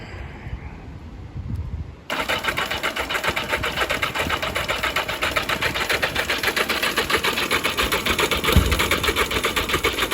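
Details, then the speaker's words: Barn-find 1982 Yamaha Maxim XJ750 cranking on a possibly undercharged battery: even starter churn that never fires. Cranks but will not start. The plugs were found flooded; the owner suspects it needs a stronger battery or starter fluid, and possibly has weak spark. "lives in battery strength as we go and we need a stronger battery or some uh starter fluid"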